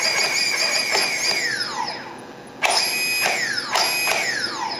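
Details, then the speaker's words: Turnigy SK450 quadcopter motor after reflashing its Multistar ESC: quick throttle blips, whine snaps up and winds down cleanly, crisp responsive motor, far quicker than stock ESC; slight transmitter-receiver lag audible. "once I go to Full Throttle here quickly that goes up of course there is going to be a bit of lag between the transmitter and this the receiver which you can hear there"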